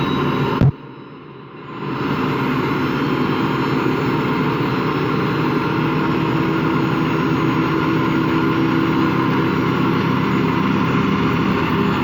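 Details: Washing machine run empty on rinse and spin: steady deep growling roar with faint hum, never reaching full speed; drum not loose, owner suspects worn motor or drum bearings.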